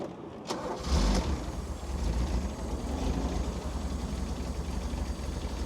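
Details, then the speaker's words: JDM Toyota Cressida MX32 bought from a wrecker, after repeated failed start attempts: starter churns briefly, then engine catches and settles into a steady, even low idle holding without throttle; normal idle. "oh it's running I ain't touching anything it's running it's running"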